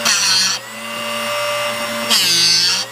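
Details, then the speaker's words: Drill Doctor drill bit sharpener on 1/2-inch (13 mm) cobalt bit, after adjusting cut depth: steady motor whine with hissing grinding bursts stopping cleanly mid-way at the peak each pass; normal sharpening grind. "So that's the noise that we want to hear. You'll notice that the ears on this are what sets that depth, and it should only grind till about right here, or halfway up, or right in the middle at the peak."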